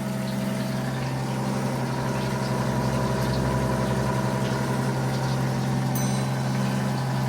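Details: Rebuilt 90-year-old gas pump dispensing: steady, even motor hum with a constant low drone, no knocks or speed changes; the pump runs smoothly.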